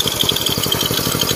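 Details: Win (Indonesian) single-cylinder motorcycle after engine rebuild and clutch work, test run: even, quick putter at idle, no clutch rattle or tapping; runs smooth and quiet, no clutch whine.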